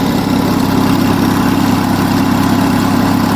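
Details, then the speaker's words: Onan US military generator engine, fully warm with block too hot to touch and thermosiphon cooling working, runs a steady even drone at governed speed; no knocks, misses, hunting or smoke, mechanically sound. "Oh, she's beautiful. That runs an absolute treat, and there isn't an ounce of smoke."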